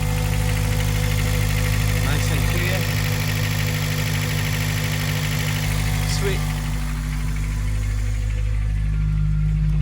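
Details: Honda Civic Type R EP3 K20A after IAAV delete (K-Tuned kit) to cure fluctuating idle that IACV cleaning failed to fix: steady, even idle with constant low hum, no hunting or missing beats; healthy.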